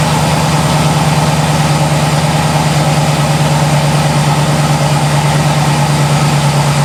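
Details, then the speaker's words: Mazda RX7 rotary at idle after refitting the missing plug on the vacuum line to the density sensor on the intake manifold, which had caused a 2,000 rpm high idle; steady, even low burble with no hunting or surging; idling normally. "Alright, so the motor's back to running right."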